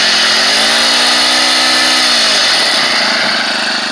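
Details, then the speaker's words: SEDEG 1.5 hp air-cooled four-stroke outboard, about 50 miles of use, revved high out of the water: buzzy drone with light racy rattle from the centrifugal clutch, which is normal. "so you'll hear this this racy rattle that's the centrifugal clutch and um and that's just the noise it makes i wouldn't let it concern you"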